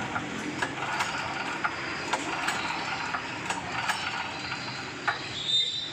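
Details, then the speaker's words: GX-type engine on 7,500 genset, often flooded with fuel, compression normal, after reassembly: repeated recoil pull-start rattles and clicks, engine spins but won't start; carburetor suspected, checked next by draining float bowl. "oke kita tes engkol kembali ya masih belum mau hidup"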